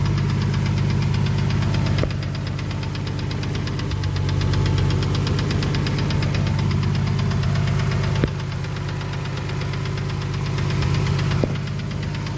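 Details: Ford FG Falcon bottom end with a BA top end at idle: it knocks once or twice on startup, then a sharp tick about three to four per second dominates over a deep throbbing idle, loudest at the rear of the sump.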